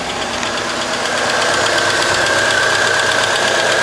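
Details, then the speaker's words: 2001 Chevy Cavalier 2.2L after starter motor replacement, which had spun without engaging the flywheel: it starts and holds a steady, even idle with a light belt whine and no misses or surging; the faulty starter was the problem. "So she's running now. Alright, so that was our problem, the starter."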